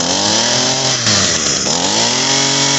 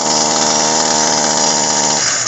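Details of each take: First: Echo SRM-225 two-stroke trimmer that would not rev up, after cleaning the clogged, oil-saturated muffler and cylinder port, some smoke expected; buzz climbs cleanly from a blip then holds a steady, even high rev with no surging or stumbling. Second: Echo SRM-225 two-stroke trimmer idling and unable to rev, buzzing at a steady held-back pitch and sagging; muffler and cylinder carbon-clogged, before cleaning, with almost nothing coming out the exhaust.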